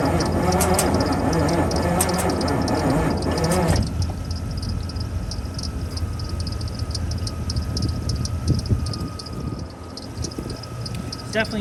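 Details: Cummins-engined 352 after new starter solenoid and injectors refitted, ether sprayed in: heavy labored cranking about four compressions a second, never catching; not turning fast enough; oil leaking from a hose shows oil pressure; fuel pump and cut-off switch suspected.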